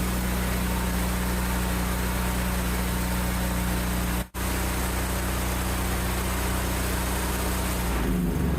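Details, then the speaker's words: Generac GP5500 generator, sat unused for several years and not starting, now fitted with a new carburetor kit (carb, air filter, fuel line, spark plug, fuel valve): it starts on one pull and runs at a steady, even speed with a smooth hum; normal running. "nice running good all right that was good you saw it started in one pole"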